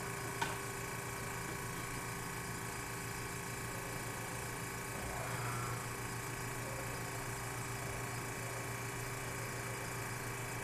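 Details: Antique GE Monitor Top DR-1 refrigerator compressor just started after repair and vacuum, pressure rising on high side, start relay needing weight; faint steady low hum, no knocking or rattling, cooling beginning; normal running.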